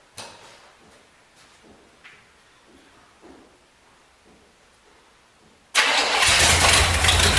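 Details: 1973 Chevrolet Corvette C3 revival, run after a shot of gas down the carburetor: catches straight away and settles into a steady, even idle with no misses; a little smoky but not worrying; normal idle.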